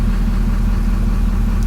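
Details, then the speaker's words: Duramax diesel at idle, main timing zero degrees, pilot injection switched off (pilot fuel cut from 0.94 mm³ to zero): steady low idle, noticeably louder and harsher combustion clatter but still smooth. "you can hear the engine is now quite a bit louder but it's still running pretty smooth"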